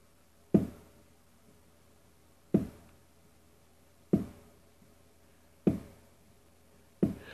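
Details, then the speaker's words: VW 2-litre aircooled engine case build-up, flywheel on with shims but no oil seals. Five solid clunks as the flywheel is rocked by hand: normal crankshaft end float, a very small movement to be measured. "we're going to measure the the end float which you can here as a clunk if you try to move the flywheel backwards and forwards"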